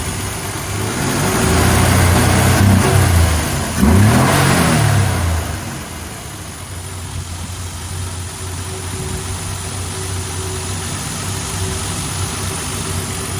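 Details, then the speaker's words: Studebaker bullet-nose Starlight Coupe, inline six with Carter carburetor: after a couple of blips settles to a smooth, even, low idle, no knocks or misses; normal idle. "inline sixcylinder with a Carter carburetor. [Music] Sounds like a six-cylinder."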